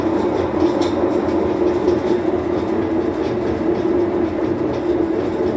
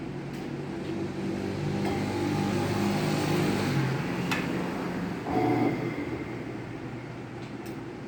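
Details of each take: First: Whirlpool washing machine that won't spin, on drain/spin cycle: continuous coarse rumble with rattling, rolling quality through the spin; damaged drum bearings. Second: Whirlpool washing machine that would not spin, after repair, with bearings also damaged: motor hum settles, then sharp clicks as the actuator shifts into spin. Normal actuator shifting.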